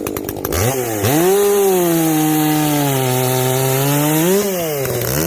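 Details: Echo CS-590 chainsaw after a carb mod with limiters removed, high and low jets richened, exhaust opened up; clean two-stroke note climbing to full throttle, steady under cut, dipping smoothly back; not running hot, properly tuned.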